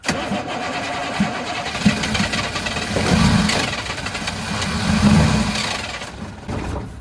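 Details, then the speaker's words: 1983 Chevrolet squarebody 6.2 IDI diesel, not run in years, still a ton of air in the lines and something dripping, possibly fuel return line: slow cranking catches in two brief rough surges then dies; hard starting. "there's still ton of air in the line so and we got something dripping let's let all that cool down for a little bit"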